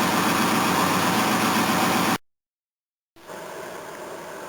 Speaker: all right let's try again it sounds like it's got an exhaust leak somewhere still oh definitely probably that flange